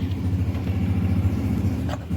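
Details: 2007 Toyota Vitz with CVT, starting trouble: uneven, pulsing idle with irregular stumbles and a dip near the end, engine misfiring.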